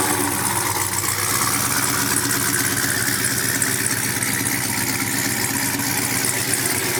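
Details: Brand-new supercharged GM LT4 V8 with CVF pulley kit, swapped into a 1971 Chevy Chevelle convertible with new exhaust: a deep, even burble with a steady rapid exhaust pulse. Smooth, normal, healthy idle.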